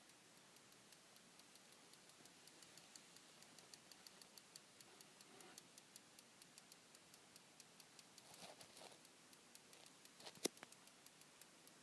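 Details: Desktop PC motherboard is silent under Prime95 load, then ticks quietly and steadily at idle after the load is cancelled, about three light clicks a second; cause unknown.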